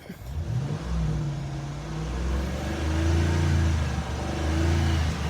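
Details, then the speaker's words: 2005 Dodge Ram 1500 5.7L Magnum V8 after squirrel-damaged wiring repair and new spark plugs, cylinders previously not firing: smooth idle rising cleanly on two throttle blips and settling back with no miss; normal idle and revving. "I would give it some gas. Let you guys hear this idle. It sounds great to me."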